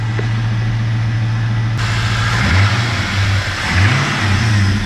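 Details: SS after radiator and cooling-system replacement, warming up with coolant cap off: smooth, even idle, then a couple of clean blips that rise and fall back without misses or odd noises; engine sounds healthy.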